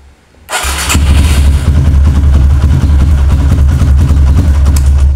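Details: Kawasaki KLX with a new battery, fully charged then charger removed, in a repeated-start test: brief quiet, then it catches at once into a strong steady low putter; the battery managed 13 starts and is judged normal so far.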